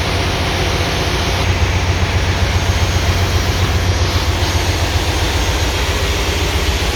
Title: generator misfire